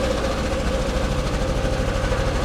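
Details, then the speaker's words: 1999 Chevrolet Camaro V6 first start after fuel pump replacement, service engine soon light on: uneven, lumpy idle with irregular shake and no steady beat; running rough, cause not yet known. "3, 2, 1. Oh, hell yeah! Sounds like ass."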